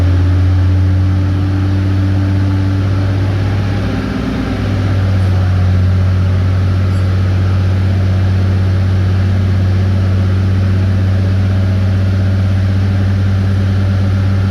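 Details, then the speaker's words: RAM with a newly fitted fan clutch, held at 2000 rpm per the manual to distribute clutch fluid: deep even drone with a steady fan roar; engine and new fan clutch sound smooth and healthy. "it does say in the manual to run it at 2000 rpm for a couple minutes to make sure the fluid gets all around where it needs to get so i'm going to throttle it up"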